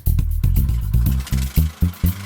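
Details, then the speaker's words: Troy-Bilt 28-inch TBWC28 mower with an MTD 195cc engine, bought new in 2019, with cold-start trouble: pull-started with the suspected automatic-choke linkage held right, deep thumps sputter and catch as it starts. Owner suspects the choke floods it on cold start. "to prove my theory I decided to try and pull start the motor with the linkage engaged to the right"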